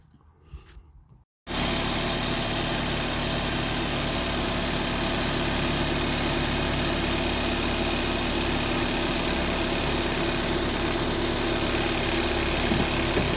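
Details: Honda Civic 1.7 VTEC after VTEC solenoid replacement/rebuild for an oil leak, leak retest before energizing the solenoid: engine catches and settles straight into a smooth, even idle with steady low hum, no knocks or misses; normal idle.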